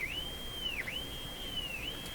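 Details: Sparton Model 5049 radio oscillating when its IF transformers are peaked: a thin, high whistle holds steady, then dips in pitch and recovers twice, sensitive to the local oscillator coil. Spurious oscillation heterodyne tone.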